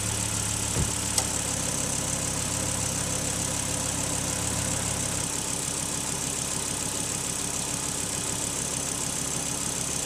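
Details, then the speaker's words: Volvo S80 turbo just started after throttle body cleaning and battery disconnect, throttle relearning; catches and settles straight into an even idle, steady hum, no hunting or stumbling: normal idle after start. "At first launch, after disconnecting the battery possible unstable operation motor as the throttle is to adapt look for your position but this instability should not last more than 10-15 seconds then the motor should run smoothly"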